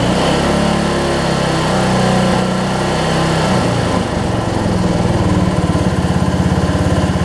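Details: Weed Eater AYP riding mower with 16.5 hp Briggs single, after fuel bowl refitted and fuel leak addressed: runs steadily at high revs, then eases to an even lumpy idle; fuel gets through and it runs fine.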